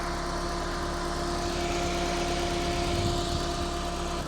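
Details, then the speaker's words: Ford RS Cosworth replica with freshly rebuilt forged boosted 2000 engine, remotely tuned, on first drive: smooth, even idle with a steady low burble and no knocks or ticks; idling better now, quiet and healthy. "See how this engine is idling better now. Hold on. Oops. Not even disconnected. Let's have a listen to this burble."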